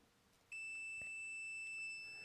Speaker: it's it's measuring 0.2 ohms and you can kind of hear it it's beeping at us right there